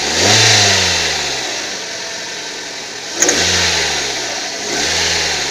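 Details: 2008 Hyundai Tucson 2.0, hot engine, revving to about 3,500–3,800 rpm: a thin metallic ringing rides over the engine and eases as revs drop. The source is unknown and the owner is asking for help identifying it.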